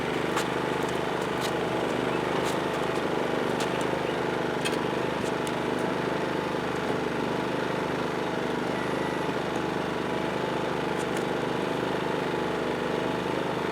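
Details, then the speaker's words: PowerSmart 2350W inverter generator running a 1000-watt microwave, a heavier load than the earlier toaster: steady, even drone, no surging or hunting, holding speed well; normal running under load. "let's find something that a little higher wattage to see if we can get it to throttle up a little bit more"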